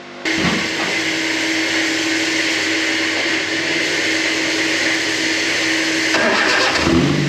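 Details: K11 Micra super turbo time attack car after the damaged crank sensor was replaced with the identical cam cover sensor; the old one was hurt when the trigger wheel came off. It catches and runs steady and even with a firm mid tone, then revs briefly. Normal running.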